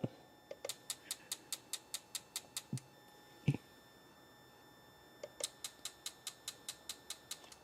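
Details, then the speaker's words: MK4 R32 twin turbo, ECU output test firing injector one: crisp evenly spaced ticks about four per second, pause, then resume; normal injector click; injectors three and four later found fitted wrongly. "but there's like a little clicking sound and I basically was going through all the injectors checking them"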